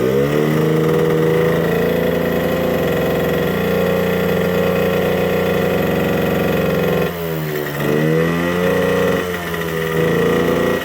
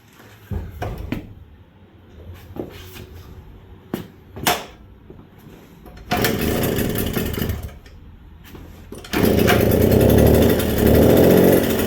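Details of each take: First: 1979 Suzuki JR50 minibike two-stroke, long-sitting, won't rev out; small engine buzzing unevenly with slight sputter, changing when intake is cupped by hand; intake air leak found, likely why it won't rev out. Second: 1979 Suzuki JR50 two-stroke minibike, long-stored, cold, new correct BP4HS plug, started on first kick: a few kicks and knocks, then a buzzy even idle with brief blips; idles fine but won't rev out, float setting suspected.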